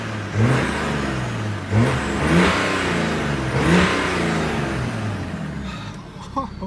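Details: BMW 335d 3.0L bi-turbo after reinstalling the intercooler joint that had come loose and cost its torque. Three quick free revs climb cleanly with turbo whoosh and settle back evenly, pulling sharp with no hesitation; the power is back.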